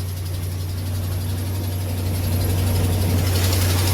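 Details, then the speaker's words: Ram 1500 Hemi V8 at cold idle, first thing in the morning: light quick tick over the low rumble on both sides, not a lifter or camshaft tick; suspected exhaust manifold stud leak. "That is not a lifter cam shaft type kick."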